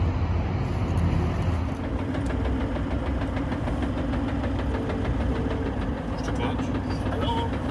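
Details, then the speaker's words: Diesel 4WD (76) idling on a trip: light, regular tapping over the rumble, a knock that stops when the clutch pedal is pressed; cause not confirmed. "can you hear that noise in 76 what do you think that yeah yeah is i put the foot on the clutch it stops"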